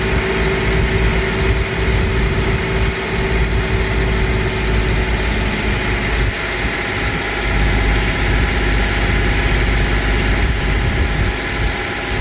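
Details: 1992 Toyota pickup, freshly rebuilt 3VZ 3.0 V6 on break-in oil, first startup, 20-minute break-in at 2,000 rpm: steady even fast idle with constant tone, no ticking or knocking; gauges show no overheating, healthy.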